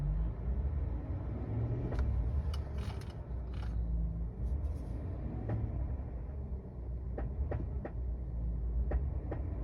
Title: 2021 GMC Sierra 6.2 engine knock for the second time in less than 6 months